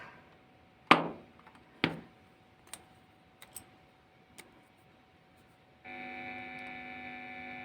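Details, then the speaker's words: Tavware guitar-pedal power adaptor, about 9.28 V output at 195 V mains, plugged into effect pedal: handling clicks then steady buzzing hum as soon as it connects; adaptor feeding mains hum into the pedal. "Oh, sudah terdapat suara yang mencurigakan. Tapi it's okay, tetap akan kita akan kita uji ya."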